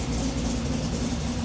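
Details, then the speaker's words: Project engine with Sniper setup, just started out of gear and idling: quiet, smooth, even low rumble with no ticking or knocking. Motor sounds healthy. "motor's super quiet huge progress for this guy"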